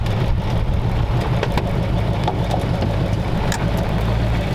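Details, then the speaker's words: 1932 roadster V8 on its first test drive, about 85°F: deep even mild exhaust rumble while driving, no misses or knocks; normal healthy V8 burble. "exhaust is nice and Mild ell yeah it's got a real nice it's just got a nice Rumble to it not crazy"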